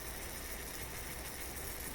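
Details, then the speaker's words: Toshiba RC-803F flip clock radio's clock motor, powered on during restoration, gives a steady gritty buzzing whirr with low hum as it picks up speed, from a worn-out bearing. "Getting a little noisy. Worn out bearing."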